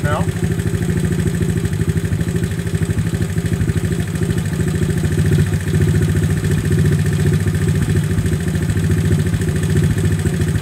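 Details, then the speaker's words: 1970 Honda Trail 70 (CT70) single-cylinder after piston, head, jug and timing chain replacement and carburetor adjustment, first start: steady low idle without misses or rattles, no smoke, no leaks; normal idle. "sounded pretty good no smoke awesome awesome no leaks"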